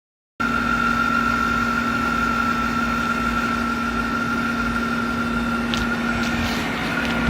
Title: A/c making weird noise